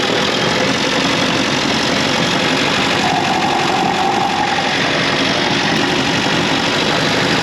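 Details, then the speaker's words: Austin 7 at idle, the sound carried to the microphone by a rod against the engine: a dull, heavy rumble under the running beat, steady throughout. The owners suspect big ends or bearings at the bottom of the engine, not yet investigated. "We used the rod here to try and transfer the vibrations up, tried it onto the microphone there, and certainly when you're holding it against the bone near your ear and you plug your ear up, you can certainly hear that rumbling noise coming through."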